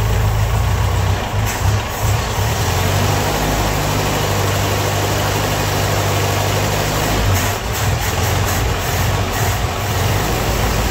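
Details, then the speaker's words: Rough, heavy idle with a clattery, diesel-like knock from a Ford-built M151A2 MUTT, 141.5 cu in, 71 hp, stored 20 years. Oil pressure gauge pegged; coolant leak. Engine knocking in the bottom end, not valve train; owner suspects pistons or rods. "Well, she runs, but I don't know how well the camera picked it up. That motor right there, it sounds like a diesel."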